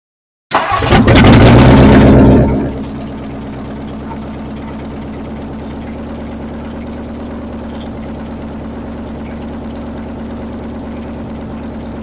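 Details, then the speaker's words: 1959 Edsel with new motor and transmission, running after timing advanced and a loose, gas-spraying fuel pump connector fixed: cranks, catches, flares about two seconds, then steady even idle with no misses; runs normally. "but this is what the car sounds like running now so last night I was doing stuff at about 12 30 in the morning here it is Sunday evening here's what it sounds like now"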